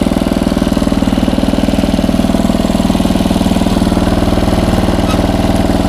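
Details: 1994 Troy-Bilt 34044 33-inch wide-cut walk-behind mulching mower, Briggs & Stratton engine, curbside find, air filter clean; fast even clatter every revolution as mistimed twin blades hit each other, likely after a previous owner changed blades.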